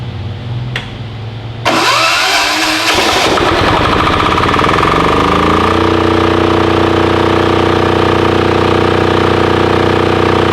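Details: Titan 7500 W diesel generator, revived non-runner: quick crank, catches within a second, rpm climbs and settles into a steady even diesel drone; starts and runs healthy.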